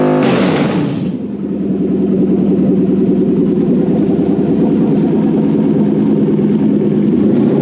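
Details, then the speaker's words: Toyota 1UZ VVTi V8 petrol on the bench with new wiring loom for a Hilux swap, first start: sharp blip to high revs falling back to smooth even idle, no misfires; healthy. "i found the revlon that sounds better like that"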